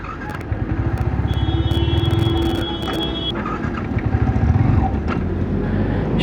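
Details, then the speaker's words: Yamaha R15 V3 motorcycle with fuel in the tank, riding, misfiring and repeatedly cutting out: engine note rises and sags unevenly with road rumble, suddenly picking up then dropping power; cause not yet confirmed. "को अचानक pickup ले रही है power छोड़ रही है भाई मेरे बाइक यॉर्क खराब हो चुका है"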